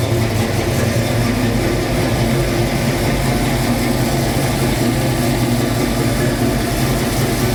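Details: 1966 Mustang Fastback, new 347 stroker V8 just after first start; loud, steady, fast idle with deep even rumble holding high, owner says carb idle screws need adjusting; fast idle, untuned carburettor.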